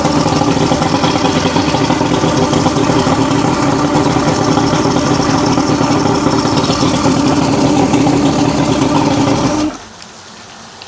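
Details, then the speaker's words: Roughly 40-year-old 1980s Mercury 150HP Black Max V6 two-stroke outboard after repair work (fuel pump suspected bleeding into block): steady, crisp even idle buzz with no misses until shutoff; now runs normally. "That sounds a lot better."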